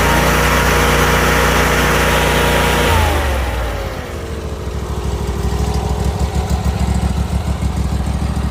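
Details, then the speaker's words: Old riding lawn mower with brand-new engine just installed, started with a little choke: strong steady run dropping smoothly to an even idle, no misses, knocks or hunting. Normal running. "all right so let's go ahead and uh crank it over a little bit just a little bit of Choke and there she is brand spanking new engine"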